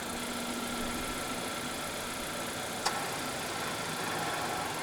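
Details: Malaysian-spec 2022 Honda HR-V 1.5 Turbo E, 1.5 L L15C3 turbo petrol with CVT, idling after remote key-fob start: steady, even hum with no knocks, ticks or misses; smooth healthy idle.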